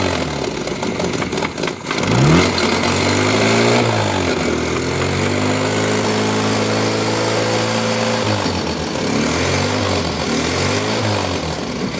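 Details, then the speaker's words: 1983 Toyota 4x4 pickup, 22R four-cylinder, sat at least 10 years: catches and revs, then sags and stumbles at idle as it loads up; carburetor apparently floods over at idle. "yeah let it idle let it idle yeah it's like if you let it idle it it floods over maybe bang on that caror"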